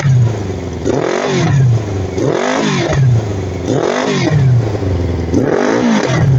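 Engine revved up and down repeatedly, the exhaust note uneven and stumbling through each rise, fitting a misfire though the cause isn't clear. Cause suspected, not confirmed.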